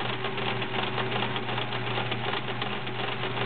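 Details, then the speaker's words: Kenmore Model 1774 sewing machine, 1.2 A motor, sewing zigzag: fast busy mechanical clatter over a steady hum, noisier than expected despite everything being oiled; cause unknown. Noisy mechanism. "just now the internals of this machine are a little noisy don't know why everything's been oiled"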